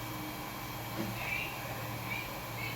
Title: coil whine sound on PSU